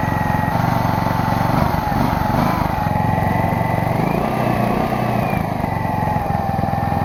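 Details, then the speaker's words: Small single-cylinder generator engine, sat for years in a pumphouse, air filter off, choke sprung on: speed sags and hunts instead of settling to idle; bogging, owner suspects missing air filter or rich running needing choke. "apparently doesn't want to idle very much i'm not entirely sure what that's all about uh well i think i could put the air filter back on maybe that's why it's not uh running as smoothly"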